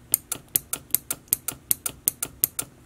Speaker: that's it clicking and just so that you can see the contrast there is no clicking you can hear the button press but no really clicking